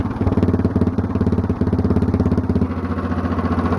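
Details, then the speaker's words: Mostly stock Honda clone single with stage-1-style header, 10 lb cast-iron flywheel, cam modified for low-rpm compression; started on choke, rapid even thumping shifts to a steadier beat as the automatic compression release disengages; normal running. "Alright, so you could hear when I was starting it up and stopping it, there was a little bit of a change in the sound. When I was first starting it, it kind of took a bit to get up to speed, and then it got louder all of a sudden and sped up quicker."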